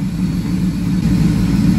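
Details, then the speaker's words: 2002 Ford F-150 SVT Lightning, 5.4 L supercharged V8, rebuilt two years earlier, suspected blown head gasket; a low idle with an uneven, loping beat that drops a pulse; power balance test shows a dead misfire on cylinder 6. "guys can see that we definitely have a dropout happening here on cylinder number six pretty much a dead misfire so that is something we do want to focus on"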